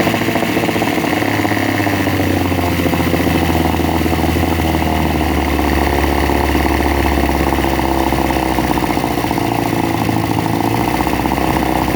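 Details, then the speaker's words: Veterok-12 two-stroke outboard motor after fixing its sneezing and jerking at idle: even, steady idle with a constant beat and no misses or stumbles; running cleanly. "Вот, работает ровно, не чихает. Вот так. В общем, вот так победил я его."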